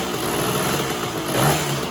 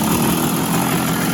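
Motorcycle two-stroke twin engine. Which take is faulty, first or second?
first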